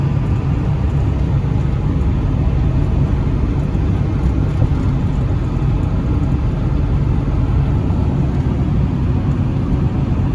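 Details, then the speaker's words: 1995 Ford 7.3 Powerstroke diesel truck, returned to roadworthy after sitting 10 years not running, on a drive under load: deep, steady diesel rumble pulling evenly with no knocks, misses or rattles; normal healthy running. "Let's fire it up and give a listen, and then we'll take it for a drive."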